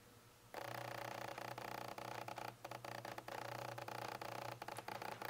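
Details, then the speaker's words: Nikon Z6 with F-mount lenses on FTZ adapter, autofocus motor racking focus: faint even whirring hum with small ticks; camera's internal mics picked up the lens noise most, Rode VideoMicro second most. "the microphones in the camera itself picked up the noise from the f-mount lenses is the most and the rode videomicro picked them up the second most"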